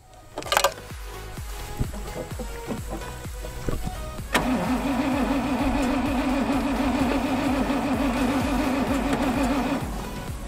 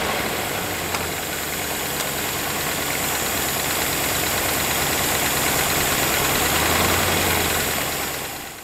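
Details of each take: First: 1981 Rover SD1 3500 V8 that sat in a shed over 10 years: the starter spins it with a steady drone for about five seconds but it never catches; crank no start, fuel pump suspected. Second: 1981 Rover SD1 3500 V8, sat over 10 years, jump-started from a bus battery with petrol poured into the carburettor (rat-chewed fuel line): it finally runs, a steady even idle with busy mechanical chatter on top.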